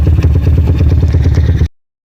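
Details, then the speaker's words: Honda Mega Pro-based CB 240cc single-cylinder, PWK 28 carb, jets 35/120, throttle cable still pulled: deep, choppy, loping idle about eight pulses per second before cutting off; lumpy idle attributed to high cam overlap. "Ini suara langsamnya putus-putus seperti ini kalau menggunakan overlap tinggi."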